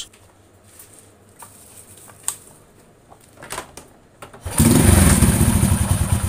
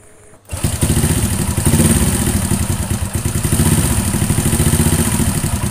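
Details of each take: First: Honda Astrea Grand small single after valve clearance adjustment: a few stray taps, then a steady, even idle with no valve tapping. The rough rhythmic noise from loose valve clearance is gone and it runs smooth again. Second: Honda Astrea Grand small single at idle: rough, even, rhythmic tapping clatter in time with the engine, caused by valve clearance set too loose, not the cam chain.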